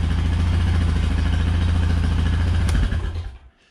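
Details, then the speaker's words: Honda Rancher 420 ATV, true cold start at 23°F. It fires immediately and settles into an even, steady thump without stumbling. A normal, healthy cold start and idle, shown in contrast to a hard-starting Pioneer 700. "so you know that's kind of like what i expect out of a honda with a cold start even when it is 23 degrees outside"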